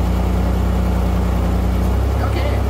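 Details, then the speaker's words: Pontiac Fiero after an R12-to-R134 AC conversion, with the compressor clutch jumped at idle. The clutch clicks in, the steady idle dips as rpm drops, and the compressor (at the back bottom of the engine) engages; refrigerant is possibly a little low. Finding: normal AC compressor engagement. "hear that definitely hear the rpms drop a little bit you hear the click of the clutch so that's with it on that's with it off there now it's on"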